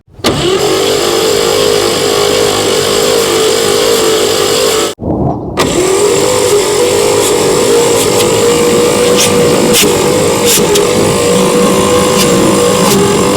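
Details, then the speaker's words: 1959 Chevrolet pickup, sitting since the 1970s, rocker arm assembly retightened: fast even starter whine with no labouring beat between cylinders; compression low on all cylinders, spark plentiful. Low compression. "uh yeah the compression still sucks on which ones how many of them all of them oh really wow is that valve not shutting all the way"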